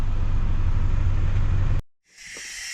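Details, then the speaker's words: Bus 1410 "Brutus", new 24V fan drive solenoid: loud low rush cuts off, then steady sharp air hiss leaking from top of solenoid, stopping when voltage is sent; solenoid possibly hooked up in reverse. "Well, just when I thought he was home free, I got an interesting new leak from the top of it. Now my guess is, now check this out. As soon as it sends voltage, it stops."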